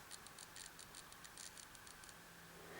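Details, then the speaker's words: 2012 Apple MacBook Pro A1278 during macOS reinstall from internet recovery: quiet repeated dry clicking about six a second from the hard drive, which reports SMART errors; failing drive needing replacement. "the drive to me does sound to be clicking anyway so let me just show you that so if i go to reinstall mac os and continue it's just making that clicking noise listen to that"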